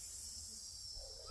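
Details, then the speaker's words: WellFire AK74 gas blowback airsoft rifle magazine being filled with propane for the first time. A soft, steady hiss of gas flowing in with no sputtering, then it goes quiet, which the owner assumes means it is full. "and then it goes quiet. I'm assuming that's when it's done."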